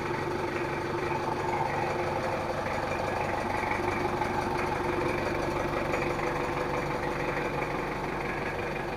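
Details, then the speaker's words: L300/Kuda-type diesel after rebuild, after correcting injection pump setting and timing: a steady, even idle clatter with only faint leftover roughness, possibly nozzle-related. It now runs normally, with no harsh knock. "yang penting mobilnya udah normal dan suaranya Udah enggak seperti tadi"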